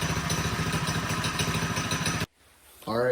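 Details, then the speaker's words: Predator 212cc non-hemi single-cylinder on a mini quad, first start after stage 3 rebuild (billet flywheel, billet rod, cam, stronger valve springs) to cure major blowby; quick, even popping at steady idle, no misses or knocks; run sounds good. "run sounds good"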